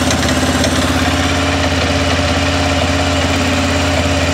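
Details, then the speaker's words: 2006 Arctic Cat 400 ATV just after its flywheel rotor was replaced for a no-spark fault. It catches at once and settles to an even idle with light clatter, a little noisy because the oil was drained and the oil cooler still needs refilling. Otherwise normal. "fired right off though was a little bit noisy of course we drained all the oil out of it"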